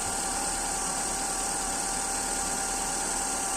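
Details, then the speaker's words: Engine idling after the loose, slipping power steering belt was tightened through the pulley hole: steady even idle with a faint high hiss and no chirp or squeal; belt now tight and quiet, fault fixed. "अब इस तरह से ना आवाज आएगी ना यह लचक लेगी। इस तरह से दिक्कत यह बिल्कुल ठीक हो गई है।"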